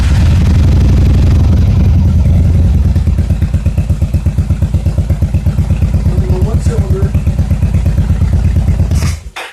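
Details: Yamaha XVS1100 in an enclosed garage before carburetor removal: loud lumpy idle falling into slow uneven thumps near three a second, then dying; falls on its face with throttle, restricted carburetor jets starving it of fuel.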